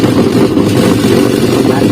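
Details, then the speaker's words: Denpoo DW-8907 twin-tub washing machine, wash side running: loud, steady, rough grinding drone with weak pulsator rotation that can be held with one finger, from the wash gearbox. "Dan suara kasar dari mesin ini sangat berisik, teman-teman. Anda bisa mendengar suara kasar ini."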